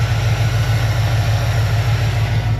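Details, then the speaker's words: Ford 351-swapped Foxbody Mustang V8, carburettor freshly re-jetted with float level set after running rich on half-turn idle screws; fires right up, deep steady burble at idle, no misses or knocks, AFR near 14.7; normal idle. "So, I think we start it up and see what happens. Okay, so it fired right up and it sounds pretty good."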